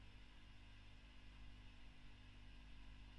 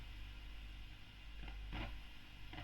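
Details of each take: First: 2008 Fender Bassman '59 reissue valve amp after the V1 preamp tube was swapped for a Mullard: near silence with only a faint low mains hum and soft hiss; the earlier noise is gone and it now idles quietly. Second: 2008 Fender Bassman 59 reissue on current limiter during service, speaker distant from mic: low steady hum with irregular crackling, sizzling frying bursts; suspected faulty preamp tube, likely V1, sockets already cleaned.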